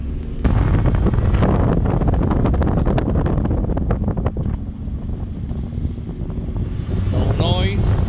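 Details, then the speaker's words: 2000 Ford F-150 after lubricating the front brake calipers, brakes very hot after about 45 minutes of driving: rolling and braking with only road and wind rumble, grinding gone; a slight squeak, probably from the rear brakes. "don't hear it anymore. So that grinding noise is gone."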